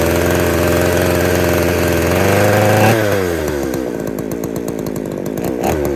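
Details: Poulan 3800 two-stroke chainsaw after fixing an air leak at the carburetor boot: screams at high revs, then pitch drops and stumbles as it lugs; a slight bog remains, owner may check carb pump and metering diaphragms.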